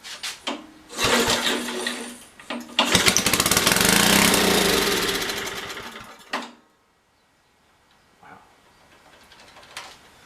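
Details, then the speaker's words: Old Briggs & Stratton 5HP generator engine with rusty tank and dirty carb, started on carb cleaner, governor fitted: screams up to a very high racing speed for a few seconds then dies abruptly; engine overspeed. "That sounded very fast."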